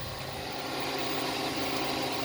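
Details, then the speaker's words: Ford Fusion hybrid after jump-start of dead battery with jump pack: engine now running, quiet even hum with no knocks or ticks; charging system reads 14.1 V, alternator good, battery bad. "sounds like it's running now okay okay so the engines now running"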